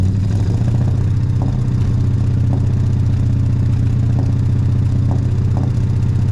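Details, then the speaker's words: Ford 302 small-block V8 before teardown and rebuild: uneven, lumpy idle with a periodic stumble; a misfire, and one header over 200 degrees cooler confirms a dead cylinder. "So just from that, we can definitely hear there's a bit of a misfire there."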